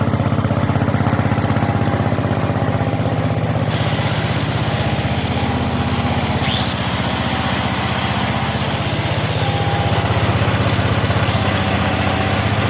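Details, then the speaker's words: Onan generator revived after running last in early 1980s: steady, even engine drone with quick regular beat, no misses or knocks; now a good running unit, propane conversion planned. "as for right now I'm happy to have a good running unit"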